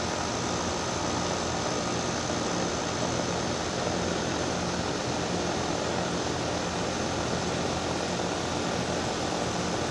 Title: ⚠️ *WARNING* ⚠️ LOUD SCROLL compressor on startup on daikin DX14. (Loud noise)